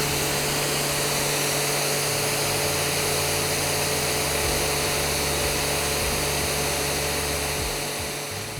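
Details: Spitwater 10-120H hot water pressure cleaner at full high pressure, about 120 bar on the gauge: loud, even spray hiss over a steady pump drone with no pulsing or surging, pump holding pressure cleanly with no leaks.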